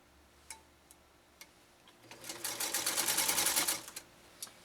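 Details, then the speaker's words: Restored Singer 192K Spartan (0.80 amp motor) with a Schmetz size 90 universal needle, sewing a single layer: a couple of seconds of fast, even stitching chatter, no binding, grinding or labouring; normal running. "I tell you one thing it's not having any difficult with a single layer that's for darn sure"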